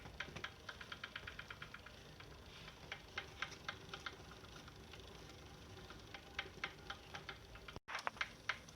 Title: Saris H3 clicking sound